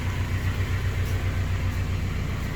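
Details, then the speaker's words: 2007 Honda Civic Si with K20/K24 swap (TSX bottom end, Si head, Hondata base tune): low, steady idle rumble with even beat and no heat shield rattle; healthy. "started up the first time been running ever since you know no heat shield noise"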